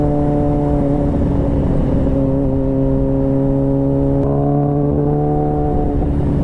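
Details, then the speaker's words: 2001 Suzuki Katana 600 with new petcock fuel valve and loud gutted exhaust pipe: steady drone that stumbles and sags mid-clip; it was running out of fuel. "Oops, I think I'm running out of fuel. That's what it sounds like. Sounds like I'm running out of fuel."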